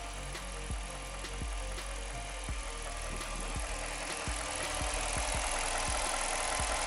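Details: 2006 Jeep Commander 5.7L Hemi V8 at idle after lifter replacement for a lifter tick: steady idle with light, even injector ticking about four per second, no misfires, shaking or lifter noise; check engine light off. Normal idle.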